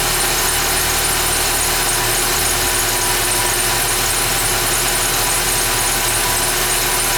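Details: 2011 Ford Fiesta with only 10,000 km, cold start: a steady cold idle with a thin, constant high squeal over the engine hum; the source is not pinned down.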